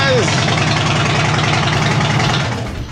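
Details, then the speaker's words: 2007 Harley-Davidson Dyna Street Bob after starter replacement. The V-twin fires promptly and settles into an even, loping idle with no grinding or hesitation; the new starter engages cleanly. "all right so three times all three times sounded really good starting on that one so i'm definitely satisfied with that one"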